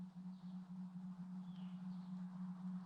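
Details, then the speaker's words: Shop copper water lines: a steady faint low hum with a high-frequency component that comes randomly several times a day, only during daylight, lasting several seconds; source unidentified. "there's like a low frequency with a high frequency component to it vibration that comes through on any copper pipes either in my house or out here in the shop"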